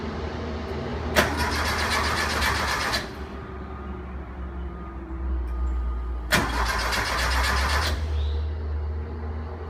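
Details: 1973 Porsche 914 2.0 hard to start after an oil change, valve adjustment and new spark plugs: two cranking bursts of about two seconds each with a pause between, and the engine never catches.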